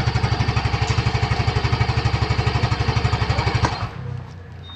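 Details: 2022 Yamaha Gear Type S single-cylinder scooter: steady, even low pulses about four a second, no knocks or rattles, then cuts off; normal running.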